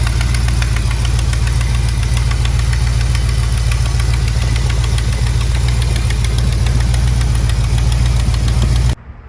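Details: Mopar B-body big-block V8 ("General Lee") at idle: a fast, steady tick of roughly three or four per second over the deep rumble, appearing suddenly after a weekend of driving; owner suspects the exhaust flange gasket.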